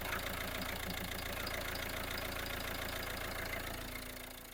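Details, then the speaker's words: 2020 Citroen with clutch pedal problems, at idle: a rhythmic rattle from the gearbox, about four pulses a second, when the clutch pedal is pressed. The clutch is not disengaging properly, and a clutch slave cylinder fault is suspected. "I feeling you might be heard some funny noise when I press the clutch making some funny noise basically that clutch won't engage properly"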